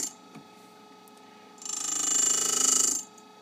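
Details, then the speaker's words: Cuttermaster DC drive at about 250 rpm grinding a high-speed steel countersink with a diamond wheel, dial indicator on infeed, taking about five thou: quiet motor hum then a brief even fine hiss touching the heel, normal clean contact. "so here we're picking a little bit picking up on the heel that sounds pretty good so we're actually putting a little more clearance on the tool"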